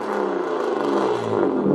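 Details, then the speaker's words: BMW E36 325i six-cylinder, 25-year-old barn find that sat 10 years in a hedge, before exhaust fix: loud, deep, raspy steady exhaust drone while running; exhaust far too loud, owner pulled over twice for it, needs sorting. "It just doesn't need to be that loud. I only had it on the road for a couple of weeks and I got pulled over twice for it, so I need to get that sorted."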